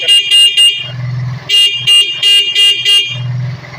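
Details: Motorcycle with a capacitor fitted to the horn circuit (wired correct polarity), engine idling: bright, full two-tone horn blasts in short bursts, strong and steady with no weak or choked sound; horn working properly.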